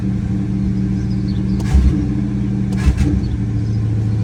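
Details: 1973 Ford Thunderbird 429 CI V8, 24,000 actual miles, after revival: deep, even idle burble with a couple of brief blips, all eight cylinders firing smoothly, no more smoke.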